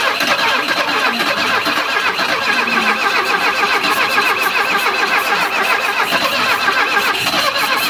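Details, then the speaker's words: Alfa Romeo 33, about 40,000 km, not run in 23 years: engine cranks fast and steadily with ignition, compression and oil pressure but never catches; no fuel arrives, runs only briefly on starting spray, fuel pump suspected. "no gasoline yet I'm trying to I'm trying to pull the gasoline in with having a lot of a lot more speed of the engine but still I have nothing uh it wants to it wants to run with the spray but that is quite not quite enough we may have a issue with the gas pump"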